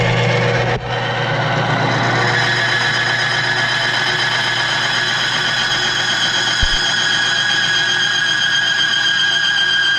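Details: Bearing friction tester, a roller bearing against its outer race, metal to metal with plain oil, no additive, reading about 30 pounds: steady high squeal over the machine hum, race still showing hot spots.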